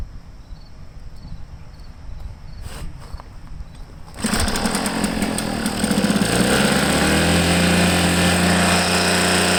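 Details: Echo PB500H blower with a replacement carburetor fires after handling and settles into a rough, burbly, uneven note, smoking heavily; it runs rich, the carburetor dumping fuel, likely a bad carb; a change is planned.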